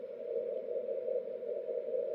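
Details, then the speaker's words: 10 GHz beacon received 1 kHz off frequency after key-click fix; steady tone with hissy rushing fringe, no clicks at element edges; phase noise remains. "so you can hear some keying there what you're hearing is Phase noise you really don't hear a a click at the beginning or end of each uh Morse element anymore you do hear some phase noise"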